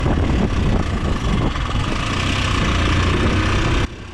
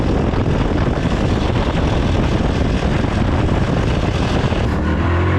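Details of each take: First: 9-10-year-old Yamaha R15, bottom and middle end upgraded but valves and rocker arms original, noisy for about half a month before stalling while riding; owner first suspected tight valves: busy uneven top-end clatter at idle; broken rocker arm bearing. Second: 9-10-year-old Yamaha R15 after repair, including weak oil pump replaced with part from Malaysia, about three weeks: smooth even drone, steady firing, no top-end ticking or clatter; normal running.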